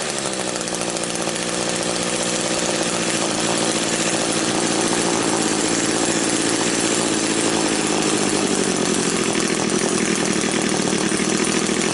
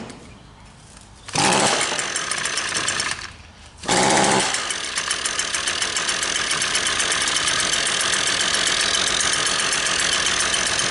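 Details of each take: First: Old Echo two-stroke engine after clearing its completely blocked exhaust spark arrester screen, started unchoked: a high, steady scream that revs freely and holds at full throttle without bogging. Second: Two-stroke engine that won't rev or make power: idles oddly quiet and muffled, never climbing past a soft buzz; a plugged exhaust spark arrester screen is suspected.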